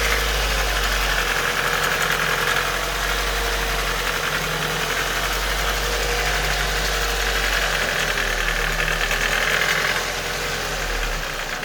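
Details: Nissan Micra K11 1.3 CG13DE petrol engine idling at operating temperature gives a light, fairly quick tick, about four a second, over a steady hum. It happens only at idle and goes away with a few revs. Freshly serviced with 10W40 at the correct level.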